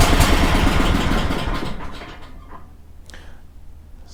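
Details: Kohler 18 twin-cylinder engine on a Walker mower, new NGK plug, started on choke then at idle; lopsided uneven idle with a loping beat near three per second that sags, running on only one cylinder.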